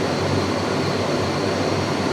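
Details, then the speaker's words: Shop furnace just converted from natural gas to LP, main blower kicking on after burners light with blue flames: steady airy rush over a low hum, no rubbing or squeal; normal blower operation. "All right, let's see if the actual blower itself kicks on. Oh, I hear it and I feel it."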